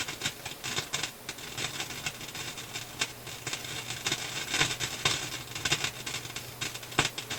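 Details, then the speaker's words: Philips console stereo tube receiver; irregular sharp pops and crackles over faint hum, scope at 50 V/cm shows high-voltage supply dropping with each pop; whatever causes popping also pulls supply down; loud popping, cause not confirmed. "So what I'm seeing is with the pops, I'm seeing the high voltage supply drop. So it's cause and effect here."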